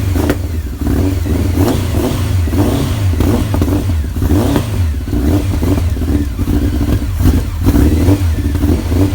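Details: Honda CBR900 Fireblade off the road over 10 years, after carb work (balance screws refitted), in a warm shed: starts beautifully, deep note picking up cleanly on throttle blips and settling evenly, a bit smoky as expected; normal start and rev.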